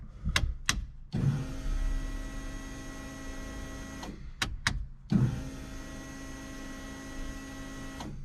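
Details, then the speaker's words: LS7 V8 S14 competition car after about 3 months sitting, ignition restored once the kill switch was turned on: two few-second runs of steady electric hum with a faint whine; fuel pumps priming evenly and healthy. "Fuel pumps still work. Alright, that all seems pretty tickety-boo, so happy with that."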